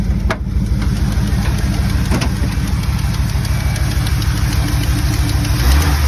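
A light, fairly even ticking sits over a steady low idle at about three ticks a second; the source is not pinned down.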